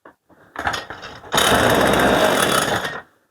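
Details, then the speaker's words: Stihl MS 181 C chainsaw with soft-start (ErgoStart) and two-chamber Euro-standard carburetor, which won't start without fuel added: after petrol is dripped in it catches, roars unevenly about 1.5 s, burns off the fuel and stalls. Suspected seals, clogged carburetor or filter, or faulty accelerator pump. "все бензин випалює і зразу глохне і так вона так вона працює"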